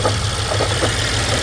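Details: 2012 BMW X5 with N63 V8 at idle: a busy metallic ticking and rattle repeating over the rumble; suspected timing chain noise, and it was eventually fixed by installing a new engine.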